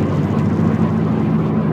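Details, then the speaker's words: 2007 Subaru Impreza hatch, 5-speed, with an intermittent wheel-bearing-type noise complaint, at highway speed: deep droning rumble with a wavering low hum and resonance through the car. Heavy vibration; a loose wheel is suspected first, not confirmed. "it's quite quite heavy and deep I don't know how all the Mike's gonna pick it up"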